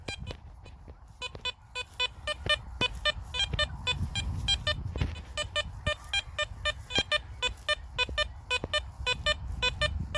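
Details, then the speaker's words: Garrett Apex metal detector with sensitivity turned right down to 4, over a silver target at pinpointer depth: crisp high beeps with each sweep over a quiet background, no chatter; clean silver target response. "so if you don't like the chat guys as you can see I've turned the sensitivity right down there it still picks that up absolutely lovely"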